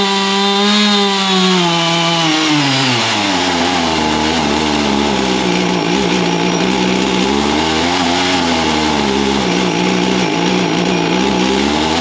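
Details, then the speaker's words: Husqvarna 55 Rancher chainsaw, new plug and air filter, carburetor jets adjusted: it revs high, then the pitch sags and wavers, hunting and bogging after running well briefly; carburetor contamination causing bogging. "well that's still not performing quite the way we want it to so I've done some more adjusting on it and it seems like it it runs good for a little bit but it starting to bog out"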